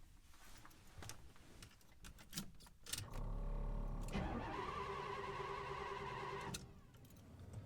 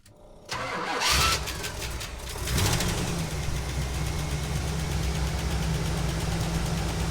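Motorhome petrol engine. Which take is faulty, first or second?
first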